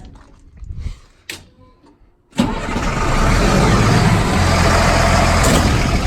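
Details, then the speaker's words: M1078 military truck converted to dump truck with new hoist and bed, straight-piped diesel: cranks briefly, catches and settles into loud, steady, even open-pipe diesel idle rumble; runs clean, normal start and idle. "It's a straight pipe diesel sound. We all know what that sounds like."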